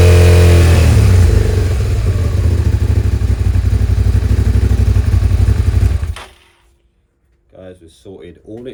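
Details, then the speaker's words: Suzuki SV650S V-twin on choke after fitting two new carb washers replacing a missing and a broken one: drops from high rev to lumpy but steady idle, about four pulses a second; idle normal. "so we haven't got 7,000 RPMs anymore so now I can adjust the idle I can find it"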